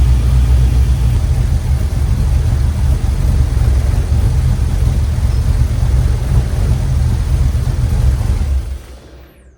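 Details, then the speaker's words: 1967 Chevrolet C10 LS-swapped V8 runs at idle after new fuel lines, with an even deep rumble and no misses or knocks before shutdown. No fuel leaks; the MAP sensor light stays on after O2 and MAP sensors were replaced. Normal running. "All right, brain's running. No fuel leaks. Uh seems to be everything's okay, but I still keep getting that MAP sensor uh light."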